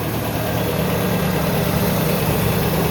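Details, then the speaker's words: 1986 Toyota pickup with a Weber carburetor, after a ruptured fuel hose was replaced and the tank refilled: a smooth steady idle with an even low beat and no stumbling. It now runs normally after the no-start. "All right, guys, you can probably hear the truck's running. So that's all we had to do was get some gas in the tank there after we fixed that one line."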